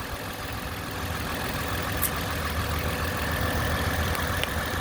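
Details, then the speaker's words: 2010 Toyota Camry XLE after water pump replacement with original pulley kept, coolant about two lines above cold level: smooth steady idle with even low hum, no knocks, ticks or squeals; only valve noise heard, failing-pump noise gone. "night and day all you hear is the valve where my right hand is i don't hear nothing definitely the original pulley nice right i mean i'm happy"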